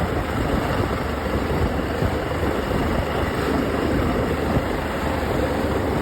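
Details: OX66 outboard running steadily with a rough, gritty grind under the motor drone throughout; new spark plugs silenced it only briefly, compression excellent, prop not slipping, source unclear.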